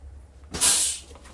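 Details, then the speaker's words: Motorhome with air brakes towing a 2022 Jeep Wrangler 4xe with Demco Air Force One supplemental braking: sharp air hiss swells about half a second then fades as the Jeep's brake applies; normal operation. "so if we hit the brakes here air pressure is now sent to the back to apply the brakes on the vehicle"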